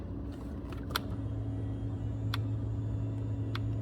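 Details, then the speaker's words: 2003 BMW Z4 convertible top, replacement hydraulic pump motor with wires reversed: steady low electric pump hum with no strain or load change; pump runs but does not hydraulically move the top. "The pump's running, but it's not moving the top. I'm sure it's not the fact that it's out of... If the lock works, that should close it right now. You can hear the pump running, but it's not hydraulically moving."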